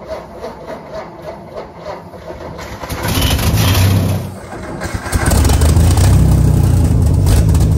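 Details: 1952 Ford F1, 215 OHV inline six, barn find stored for decades, overfull carburetor bowl: cranks unevenly about three seconds, catches, dips, settles to steady low idle; starts reluctantly, likely running on spilled-over fuel, cause unconfirmed.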